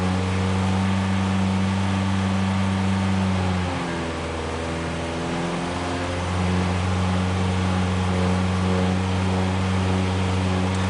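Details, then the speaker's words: Ford Pinto petrol engine held near 2,500–2,600 rpm: deep pulsing drone beating about four times a second, whole car shaking; caused by loose alternator bracket after carb, timing, plugs, flex plate and converter were ruled out. "look at the bonnet and then you'll hear about two and a half thousand revs for a real shaky experience sort of pulses there drone drone drone drone drone there she goes"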